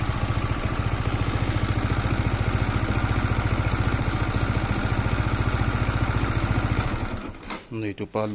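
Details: MT15 single-cylinder engine idling on a quick, steady thump before shutting off, with an odd mechanical noise. Abnormal idle noise; later talk mentions the oil filter, clearance and a bearing, but the cause is not pinned down.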